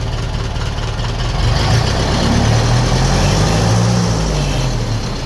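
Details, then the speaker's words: 1951 Ferguson tractor after thermostat housing replacement: a slow, steady low chug at idle with even firing and no knocks or misses. The hand throttle is set at the lowest point before stalling; this is a normal idle. "Right, this is what it sounds like at idle now. That's all tightened up and right. And it works on the hand throttle now as well."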